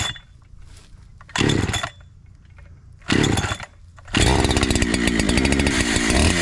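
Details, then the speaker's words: Brand new NEO-TEC NH872 71cc chainsaw (Husqvarna 372 XP clone), 28 in bar, first firewood cut on big log: two blips then long laboured cut never climbing in pitch, very slow; owner suspects top-end (high) carburetor adjustment needs tuning. "all right that was my first cut and that frankly sucked you know that was really slow I don't think the top end uh throttle adjustment um I think it needs adjusting"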